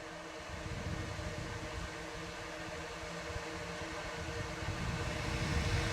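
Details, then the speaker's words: Radon fan system baseline, mic next to the exhaust discharge before adding a noise suppressor: steady airy rush with low droning hum and faint tones; the noise comes from the fan's exhaust outlet. "So just to get our baseline, what the system sounds like, I'll put my mic next to the exhaust discharge, and then we'll add this noise suppressor and see what kind of difference it makes."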